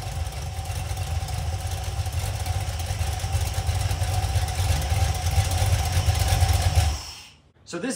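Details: Iron 5.3 LS LM7 V8, believed 2002–2003, mileage unknown, likely BTR Stage 2 truck cam, on a run stand on first fire-up; deep steady rumble with light fast ticking, sounding like unprimed lifters.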